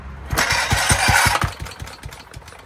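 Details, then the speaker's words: 1940 Briggs & Stratton Model A engine, first run in many years, fuel squirted down the spark plug hole: a quick run of sharp firing pops, about five a second, fading within two seconds. Fuel starvation from blocked carburetor inlet pipe. "I don't think we're getting any fuel into that carburetor."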